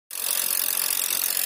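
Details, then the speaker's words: Mazda 2 sedan with a newly fitted imitation (non-original) AC compressor: a fast rough grinding starts as soon as the clutch engages, even after adding oil; it cools, but the compressor grinds internally. "langsung bunyi itu. Oli udah ditambahin lagi. Dingin cuman bunyi kompresornya."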